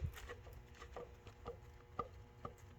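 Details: 2005-2009 Ford Mustang inner tie rod, rocked by hand: sharp clunks about twice a second; inner tie rod ball joint very loose and badly worn, replaced with new one.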